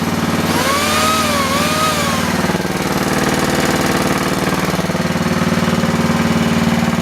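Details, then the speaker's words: Universal 2500 W generator, restarted after 5 years unused and a cleaning of the ignition points, running a drill: a steady single-cylinder thrum that barely sags under load; normal running under load. "That's how it should be running. Doesn't even notice it really. Just a little bit."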